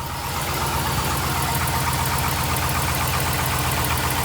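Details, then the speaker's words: LS V8 truck at startup idle, before repair: sharp quick ticking over the idle, exhaust manifold leak from broken bolts, to be fixed with a bolt-on clamp. "I'm gonna do a start up on the truck let you listen to the exhaust leak"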